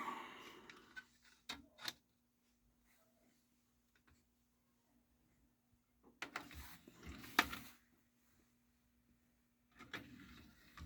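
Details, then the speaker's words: H.H. Scott DA-970 CD player: tray motor whirs and clunks pulling in, pauses, then whirs ejecting the disc; owner suspects a limit switch or loading belt not completing the close, and it loads if slammed. "there you go it's kicking it back out but occasionally it will load I think it I'm thinking it's a limit switch or something"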